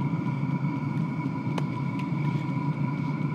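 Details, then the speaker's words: Cheap Chinese Webasto-type diesel heater on first start-up, running on untaxed red diesel: steady even hum with a clear fan tone over a soft burner roar, no knocks or misfires; smoking a lot but blowing hot air, running normally. "ça fume beaucoup je trouve de l'air chaud ce qui est déjà bon signe"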